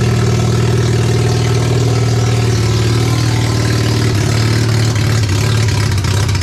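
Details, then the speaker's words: Mazda RX7 12A rotary barn find, first startup after sitting for years, electric fuel pump feeding a carb suspected of flooding from bad needles and seats; deep, smooth, buzzy steady idle with no misfire or knock, a normal idle until it ran out of fuel. "what an absolute great feeling to see some rotary Flames uh be deafened by rotary noises"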